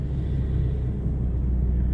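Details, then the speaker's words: 20-year-old Toyota 4Runner, very cold morning after snowstorm, started with two pedal pumps: deep, lumpy, uneven rumble right after cold start; running rough, cause unclear, owner considering Seafoam oil change. "Let's see how it starts up. A couple of pumps on the foot feed. Oh, man, does that sound chunky."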